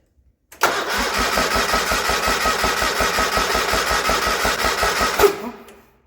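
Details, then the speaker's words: 1980 John Deere 317, not run in about three years: starter cranks steadily about five seconds with compression pulses, never fires; points sparking but spark weak even after points adjustment, owner suspects coil needs replacing. "so the points are working we have spark just not enough to fire"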